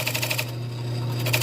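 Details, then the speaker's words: Poplar slab bowl on a wood lathe, nearly finished turning with decorative grooves cut: steady motor hum with a regular ticking that swells and fades each revolution, a rhythmic wobble as the piece has likely warped slightly. "wobble in it I think our piece has warped a little bit"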